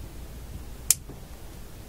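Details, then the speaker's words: Canadian General Electric G-40 radio (card says Marone), turning the sticky, stiff volume control; one sharp dry click in a quiet room; volume control broken inside and must be replaced; broken volume control potentiometer. "makes funny sounds like that click you just heard too"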